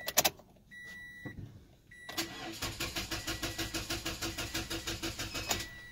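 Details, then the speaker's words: 2014 Toyota Corolla bought at auction, on a jumper pack: chime then slow even cranking about three turns a second that never catches; cranks but won't start, later traced to short-circuited fuses. "Si escuchan lo que hace, no, no prende, no enciende."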